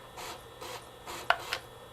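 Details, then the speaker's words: Refurbished Sega Dreamcast from GameStop reading a game disc, loud drive and fan: whooshing seek sweeps about twice a second and a couple of sharp clicks, a loud but normal drive reading fine. "Yeah, it's reading fine. It is, like I said, it's a loud system. It's definitely not a quiet system when it comes to reading the disk drive."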